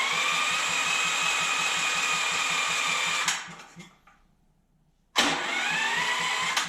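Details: Dewalt generator that won't start, after intake valve gap reset (spec 0.004 in intake, 0.006 in exhaust): steady chuffing puffs about three a second over a thin whine, blowing back through the intake; a severely warped intake valve is letting compression out.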